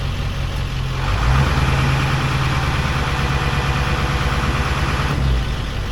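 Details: 2002 Ford F250 diesel switching between idle settings (five down to three; high idle, stealth, regular): steps from low idle to a faster, steady, even rumble and holds; normal high idle.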